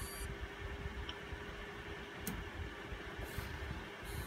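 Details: Asus Strix RX580 graphics card, retested with a new PSU with the same result: thin steady whine at one pitch over a low hum; coil whine.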